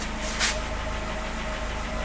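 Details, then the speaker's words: Audi 80 engine after cleaning (distributor rotor still due for replacement): steady, quiet, even low idle with no popping, only slight lifter tapping on the camshaft. "працює тихонько без придіжа Не жпльово правда тихосінько"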